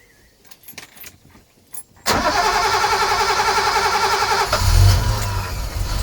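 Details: Sunseeker XPS 25 powerboat, BMW B220 engine, on a water supply, after priming the fuel filter water separator pump until hard: quiet clicks, then it catches at once and settles into a steady, even idle with a brief rev blip. Normal start and idle.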